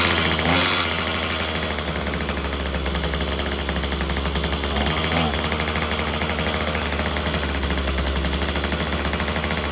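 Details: Craftsman WC 210 two-stroke trimmer after replacing its broken electric starter: harsh, uneven rattle with a wavering beat. It runs rough and needs more carburettor tuning; it ran great before. Cause suspected, not confirmed.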